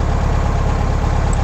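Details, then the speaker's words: Air-cooled VW Beetle with Solex 30/31 PICT carburettor during tune-up: low chuffing idle with slightly uneven beats, faltering as the volume control screw is adjusted too lean. "There, it's starting to falter again. All right, now we start opening up. You can hear it being very lean."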